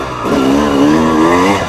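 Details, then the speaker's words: Dirt bike on first ride in 6 months with newly fitted Chinese carburetor: note climbs smoothly under throttle with no stumble; responds well, unlike the sputtering last time. "Bon bah écoutez, hein, elle répond bien au coup de gaz. Elle fait pas blablabla comme la dernière fois."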